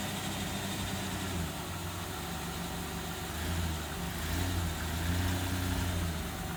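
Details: 2000 Ford Ranger XLT revived after long sitting, with brakes now working, before a test drive: even, settled idle with a smooth low drone and no knocks or misses. Running good.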